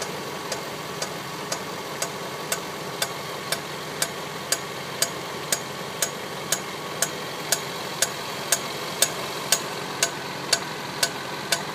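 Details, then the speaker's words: 2010 Range Rover Sport Supercharged 5.0 V8, warm idle: a sharp, even knock about twice a second from the front of the engine, only at running temperature. Owner suspects the belt-driven clutch fan is hitting something; not confirmed. "so the knocking is coming from under the hood near the front."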